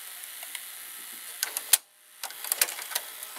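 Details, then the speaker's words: Mitsubishi HS-U51 1980s VCR at the end of rewind without unloading the tape: soft transport whirring, then one sharp click and sudden hush as the solenoid brake engages normally. "can hear that clicking sound when the tape stops rewinding. It will break the mechanism. Like the brake system will activate, you can hear it. There's a solenoid that does that."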